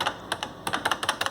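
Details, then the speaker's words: Canon MP11DX adding machine after repair and reassembly, printer switched off: crisp separate key clicks, about a dozen in under two seconds, no motor or print-head noise; keys working perfectly. "This is working perfect now."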